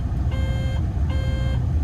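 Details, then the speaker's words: Construction machine (Develon/Mecalac plant) with thumb wheels not returning to neutral, before a DPF regen: repeating electronic beep roughly every three-quarters of a second over engine rumble; warning alarm, cause not found, air temp sensor to be checked. "Why is that squawking? Let's do this regen then and see."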